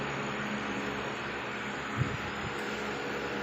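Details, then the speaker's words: Aquarium air pump after repair with its two rubber parts replaced: quiet, steady low hum with no rattle or buzzing; worn rubbers let it vibrate hard and get noisy, so now it runs normally. "Ang ganda ng tunog niya, oh. Hindi siya maingay, di ba? Nung pinalitan natin ng rubber dito."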